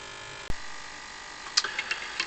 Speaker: So, whilst that's You can hear it buzzing away in the in the background there.